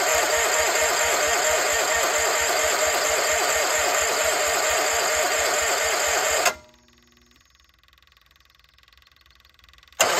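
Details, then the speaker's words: Case 1816C skid steer sat 10+ years in a barn, first start attempts: even starter cranking at roughly two compression beats a second for about six seconds, then stops; engine tried to fire a couple times but won't catch. "but hey we've made progress to try to fire a couple times so I'm gonna grab the battery charger put it on there just to maintain the battery while cranking"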